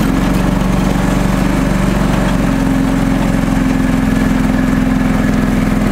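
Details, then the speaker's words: John Deere 445 garden tractor, restored, hydraulic oil and filter changed, blades sharpened, greased: mower deck switched on, steady even engine drone holding pitch, runs smooth and healthy under mower load. "and I'll turn the mower deck on for you"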